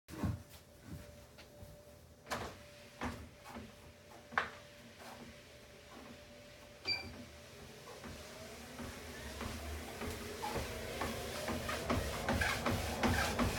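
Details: Tunturi T40 treadmill: uneven thumps roughly three a second with a faint steady tone, building as the belt speeds up; abnormal knocking noise, cause unclear.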